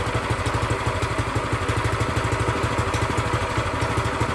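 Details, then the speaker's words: New Predator 212cc single-cylinder engine for a plate compactor, on its first start with fresh oil and gas, choke used, idle may need raising: a steady, even tick of about three beats a second, no stumbling; runs fine. "Man, that was easy. Choke again. Sounds like I need to bring the idle up a bit. Let me do that. I think she'll be a little happier."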